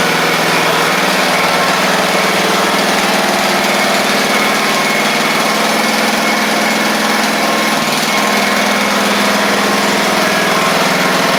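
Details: Craftsman riding mower, after fixing a bad-ground no-start click, with oil at the add mark, holds a loud, steady buzzing speed with no stumbling; running properly.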